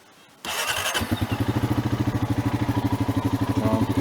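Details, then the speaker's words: Bone-stock 2016 Honda Rancher ATV, two-wheel drive, 23 miles and 3.9 hours, already warm: quick start then even steady single-cylinder thump at idle with no misses or knocks; normal start and idle, no exhaust modifications. "That's what it sounds like when it runs. There's no like exhaust or anything or any modifications. It's just a bone stock Honda."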